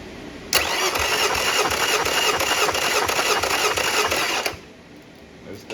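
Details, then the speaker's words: Yamaha 50HP (T50) outboard bought off Facebook Marketplace, with milky contents and suspected internal corrosion. Cylinder 1 compression test: about three even cranking pulses a second with no firing; reads 170 psi, good compression. "going still going MH 170 170 natural 170 folks"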